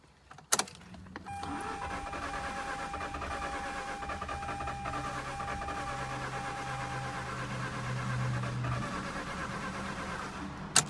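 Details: Mazda RX-8 rotary after overheating and coolant loss: starter spins steadily about nine seconds without firing, then cuts out, crank no-start; owner suspects low compression, helped when some oil gets in.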